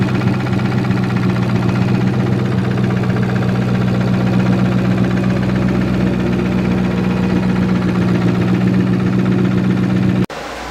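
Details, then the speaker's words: Boosted Ford Boss 302 V8 idling in a driveway after sitting two days; the knock appeared after boost pulls. A steady idle with a fast, even ticking knock through it; the owner suspects possible rod knock but the cause is unconfirmed. "But when I got out to fix that, I heard a knock, like a loud ticking, so it sounded like a typewriter, like a typewriter tick or something like that. I don't know exactly if it's rod knock."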